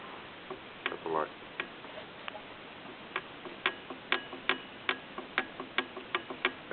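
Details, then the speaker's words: Turbo from an engine that was just pulled, shaft turned by hand. Sharp, uneven dry ticks and scrapes; the damaged turbo is rubbing inside. "sound you're hearing is not good. Bad."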